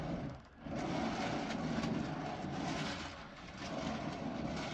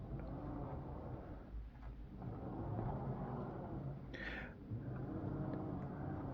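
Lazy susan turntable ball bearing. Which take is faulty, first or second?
first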